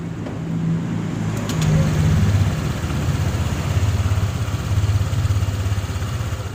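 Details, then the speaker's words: Honda Click 150i scooter, first start after rebuild with new connecting rod, piston, rings, pin, head gasket, original crank bearings: steady even low hum at fast idle, injector and fuel pump audible, no knocks or ticks; running normally. "อยากได้ยินเสียงหัวฉีดทำงานนะครับเสียงปั๊มติ๊กก็ร้องที่พี่ยึดนะครับ"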